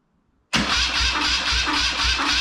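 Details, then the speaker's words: BMW R100 airhead after full bottom-end rebuild, small Alliance battery cranking to bring oil to the rockers (oil reaching left side first); strong even cranking, about two compression beats per second, no firing; normal cranking. "let's see that the little alliance battery is kicking her over nicely"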